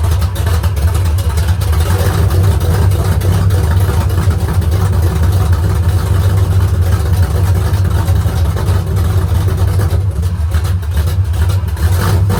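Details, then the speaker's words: Rebuilt engine on straight open headers at first start, idle set low; loud lumpy idle with loose fast rattle over the exhaust, eases with rpm; valve lifter rattle, lash to be rechecked, lifters maybe not pumped up yet. "sounding pretty rattly, so I'm going to pop these valve covers off and recheck that lash and see. It's really rattly at low RPM, but it seemed as soon as I got a bit of RPM, it was not bad."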